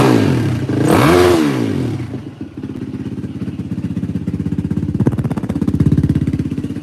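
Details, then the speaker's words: 2004 Yamaha WR450F after carburetor rebuild, pilot screw 2 turns out; throttle blip, then crisp even single-cylinder thump about three beats a second, idling cleanly and steadily. "Yeah, this thing runs tits. Holy cow. Feels pretty solid."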